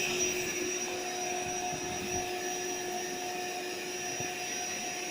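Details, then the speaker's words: AeroBed Deluxe Raised double air bed, free second-hand, with an unlocated pinhole leak the owner suspects is near the bottom. The built-in pump inflates it with a steady, even motor whine and airy rush, no surging or sputter: normal operation. "So let's fire this thing up. It's going to be a bit noisy, so what I'm going to do, so it's on standby"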